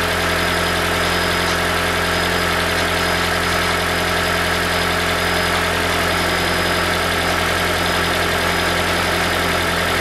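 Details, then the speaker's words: 2012 Toyota Prius v (ZVW40R, 1.8L 2ZR-FXE hybrid, automatic) at idle: busy, tinny metallic rattle over the engine from the upper exhaust heat shield, whose two metal washers are worn out. "so we found the rattle this is common problem in the the psv model so they're coming exhaust shield uh top off in the exhaust see that one making rattle because they have some two uh metal washers the inside is worn out so that's why it's making rattle"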